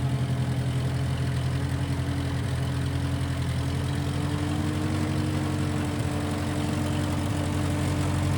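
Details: 1955 Massey Ferguson MF65 tractor, in family 30+ years, restarted after sitting a couple years; carb cleaned, Marvel Schebler carb may need slight dialing in. Low, steady even beat, no knocks, rattles or stumbles; normal running.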